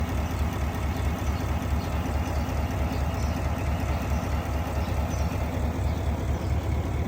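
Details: GMC Cadillac engine with check engine light at idle: low uneven idle with stumbling pulse about twice a second over steady rumble; consistent with misfire.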